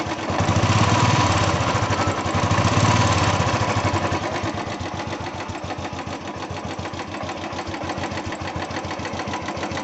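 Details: Royal Enfield Bullet 350 single-cylinder idling with a steady, fast ticking riding on the engine thump: valve tappet noise.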